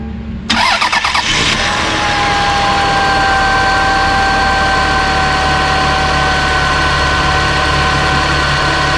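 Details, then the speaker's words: Lexus RX 300 after starter replacement: brief, brisk cranking catches quickly, then the engine settles into a steady, even idle. Strong starter, normal start and idle. "all right sounds like a good strong starter"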